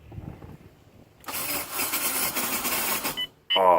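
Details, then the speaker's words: Turbo Honda Civic: about two seconds of harsh metal-on-metal grinding when the key is turned. Starter engages but the engine doesn't seem to crank and won't start, though it ran moments earlier. Cause unknown. "see that just sounds horrible that just sounds like metal grinding on metal really hard"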